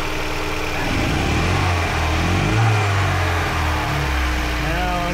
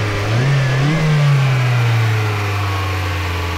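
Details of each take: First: 2005 Mazda MX5 Mazdaspeed, turbocharged on Megasquirt ECU with cold air intake and eBay injectors, stalling at idle: odd droning tone and uneven beat, a misfire from a coil pack connector wire not making contact; later repaired. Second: 2005 Mazda MX5 Mazdaspeed turbo on Megasquirt ECU with cold air intake and eBay injectors, previously misfiring and stalling at idle: pressing a coil pack connector with a wire slid out of place gives a steady, smooth rev with no misfire.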